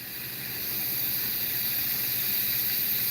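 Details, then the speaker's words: Refrigeration stepper-motor electronic expansion valve (about 255 steps full open to close), bench-tested with nitrogen, fan off; thin steady hiss swells in and holds as gas passes even from closed and as it opens; valve modulates, leaks slightly. "So if I open this with it closed all the way, you still hear it hissing."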